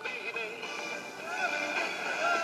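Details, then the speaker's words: 1960 Akkord Pinguin U60-US AM/FM/SW transistor radio (West Germany): faint, thin, bassless music, heavily distorted even at nearly full volume; weak FM reception, automatic gain control seems shot. "your fm barely works you have to turn the volume pretty much all the way up to hear"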